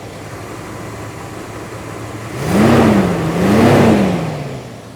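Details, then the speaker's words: All-original 1972 Imperial LeBaron, about 13,000 miles, 440 V8 with TorqueFlite 727, original Chrysler starter, engine warm; brief crank catches cleanly into two smooth even revs, then settles: normal start and rev. "Got to love your Chrysler. No other starter sounded like that."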